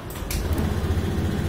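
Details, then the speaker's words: Honda Scoopy scooter with MIL code 52 (CKP) error, with the CKP wire connected to the relay's fuel-pump line: a brief starter whirr, then a smooth, even idle with no CKP error; the owner suspects the ECU's relay-driver ground. "normal Ya [Musik] teman-teman seperti ini sudah normal kita matikan dulu"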